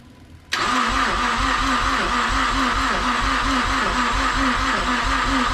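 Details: Mazdaspeed6 after rebuilt high-pressure fuel pump installation, first start attempt: steady starter churning with about five compression pulses a second, never catching; cranks but won't start.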